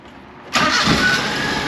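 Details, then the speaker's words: Mini-truck engine with badly fouled spark plugs found, started after finishing work: catches within about a quarter turn of the starter and settles into a steady, even idle with no misses; normal start and idle. "oh my goodness gracious that was like a quarter of a turn on the starter this thing just fired right up"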